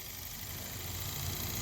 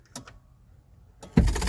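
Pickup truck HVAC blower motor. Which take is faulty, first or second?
second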